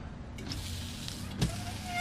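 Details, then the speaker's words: 2008 Ford Fusion with a salvage title and electrical faults: short wiper motor whir with light sweep and soft stop. The wipers run on all intermittent, low and high settings and park correctly when switched off. "and then that's the fifth intermittent which is the fastest and then this should be low and high so all the operations work on here and anytime I want I can turn it off and it Parks"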